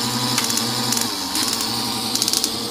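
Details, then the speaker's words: Early Bronco TBI Megasquirt EMS-PRO conversion on the bench, distributor spun by hand: short bursts of rapid crisp injector ticking over steady fuel pump hum; injectors pulsing properly. "i don't know if you can hear that but the injectors are pulsing too at the same time so this is actually what's happening when the engine's running"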